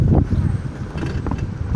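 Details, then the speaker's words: Daewoo/Chevrolet car (Nubira, Nexia, Lanos, Aveo, Lacetti type) rolling over rail tracks: dull low front thuds, loudest driver's side left, slightly less right, quiet at speed; struts, bearings, mounts, tie rod ends replaced; front brake pads suspected. "Стук очень большой с левой стороны, со стороны водителя. Ну и аналогичный наблюдается и с правой, но он немножко поменьше."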